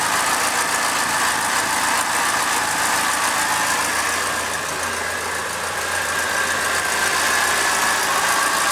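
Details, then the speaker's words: Second-hand Triumph Dolomite 1300 engine just fitted to a Gentry MG TF replica, first run warming up, burning off oil: even steady hum swelling slightly with throttle, no knocking; sounds healthy, good oil pressure. "actually sounds like I'm quite a good engine I just let I burn all this oil off okay she's warming up nicely now most of that oil is burned off sounds really sweet I'm really pleased with that engine so far"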